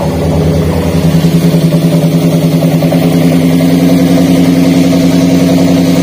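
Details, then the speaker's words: Daihatsu Gran Max with low power and stuttering, engine running while coil connectors are unplugged one at a time: rough, lumpy idle with uneven stumble about three to four times a second; pulling one coil changed nothing, so that coil is dead. "namun ketika kami tadi Cabut ya untuk posisi soket koil nomor tiga untuk pasiennya itu jadi tambah parah untuk getarannya kemudian suara di kenalpotnya juga Terdengar sangat jelas ya tambah pincang"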